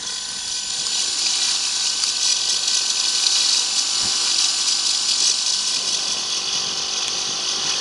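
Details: Iomega Clik! 40MB PC Card disk drive in a 2002 laptop running Windows XP, 1999 disk inserted: faint high-pitched hiss and whir with soft irregular ticking; drive spinning up and running normally.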